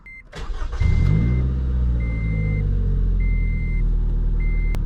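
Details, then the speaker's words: 2012 Scion tC after battery reconnect: short crank, catches at once, settles to steady even idle about 650–700 rpm with door chime beeping; clean, healthy start. "that was a way smoother startup so the car is idling really good it's at about 650 700 I think that's where the idle should be"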